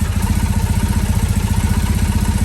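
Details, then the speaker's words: 2007 Triumph Bonneville T100 twin: steady, even low thump at idle with no hunting or misses; both cylinders sound balanced and the idle is dialled in. "Idling pretty good Thank you! You said you're pretty happy with the way that's running? That is pretty dang dailed."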